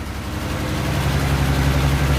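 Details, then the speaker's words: 1966 Ford Mustang V8, stored for years and brought in as a no-start, idling with foot off the gas right after first start: loud, deep, chuffing exhaust note from one big exhaust leak. "Foot is off the gas. Oh, that is one big exhaust leak."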